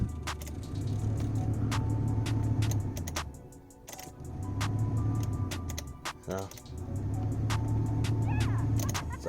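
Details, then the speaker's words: Mazda RX7 FD HVAC blower running again after replacing bad fuses: steady low fan drone with a fast irregular ticking rattle; a leaf is caught in the blower fan. "hey so it's just a and fuse sounds like there's a leaf"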